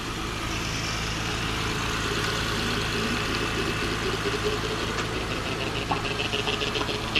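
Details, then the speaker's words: 2005 Acura TL just after transmission replacement with exhaust refitted, low coolant and a broken VTEC pressure switch: steady idle with faint irregular scraping ticks creeping in after a few seconds; something spinning is rubbing. "it's rubbing. See that spinning? Yes,"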